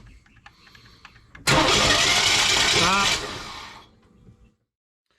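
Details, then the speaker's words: 1998 Chevy truck, crank-no-start, after briefly running then stopping suddenly (maybe before oil pressure built): a second-and-a-half whirring burst spins down with no firing; flex plate turns but engine front doesn't; a broken flex plate is one possibility. "So now all it's doing is the when we hit the starter, the flex plate's turning. I can actually see it turning, but the front of the motor's not turning."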